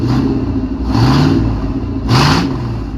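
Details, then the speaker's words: 1999 Chevy K1500 Suburban, 5.7 Vortec with bad rod bearings, sat three years, first start after oil change, 50 psi oil at idle: two quick revs with deep raw bark, loud because catalytic converters were stolen. "Somebody stole the cats off this thing, so it's a little loud."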